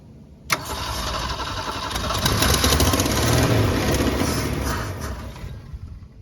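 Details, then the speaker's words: 1965 Ford Falcon six-cylinder parked since the mid-90s, first start attempt fed from a jug: cranks, catches, runs ragged a few seconds then stumbles toward a stall; owner suspects clogged fuel pump or filter; engine starts then stalls. "well I think maybe the fuel pump might be stopped up so I'm going have to take the fuel filter off of it and uh and see if that might be what it is but hey it runs"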